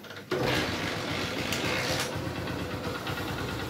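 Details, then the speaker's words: Honda Shine single after engine work for stalling while riding and a kick that goes free: valve tappet play set, head oil supply checked. Fires instantly into a steady, even tick-over with no knocks or misses; healthy idle. "देख सकते हो bike अच्छी तरह से start हो चुकी है और इसके अंदर मैंने हेड की ऑल सप्लाई भी चेक कर ली है"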